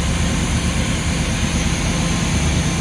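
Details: Luhrs 28 boat inboard engine with newly rebuilt carburetor, ethanol fuel: steady, even low idle rumble with no misses, surges or knocks; idling cleanly and healthy.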